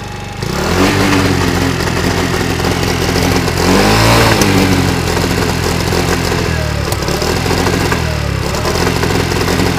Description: 50cc moped backfire problem